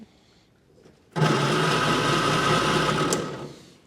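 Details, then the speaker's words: 1954 Austin A30 barn find laid up since 1971, previously seized engine: a steady starter whirr runs about two seconds without a single firing stroke; cranks but won't start, no spark, coil to be checked. "no I doubt we're getting a spark no spot there is it"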